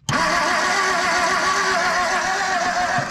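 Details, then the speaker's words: 1959 Edsel Ranger not run in 30+ years, pulled from a farm field: the starter churns the engine steadily for about three seconds at an even pace, but it never fires. Cranks but no start. "go ahead yeah I'd be doing that the whole time I don't think it's doing anything though crank it"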